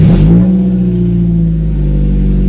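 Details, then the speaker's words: 1996 Honda Prelude four-cylinder after new NGK spark plugs, distributor cap, rotor and Vaseline-sealed seal, for wet-weather P0300 misfires: revs and falls back to a steady even idle, no longer misfiring. "I musta got the firing order right all right so you heard it it's not misfiring no more"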